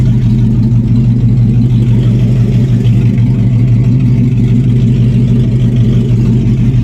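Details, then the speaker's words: Oldsmobile after fixing a vacuum leak that caused high idle, idle brought back down: steady, even low rumble with no hunting or hissing; now idling correctly. "bought the idol back now I'm sure we good I got gas we bought the idle back down so now she idling correctly"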